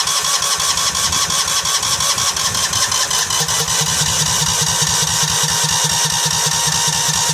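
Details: $50 Cub Cadet 2130 lawn tractor, long unused, water and rust in fuel system: steady cranking churn about two strokes a second that never catches; carburetor float stuck solid, no fuel getting through.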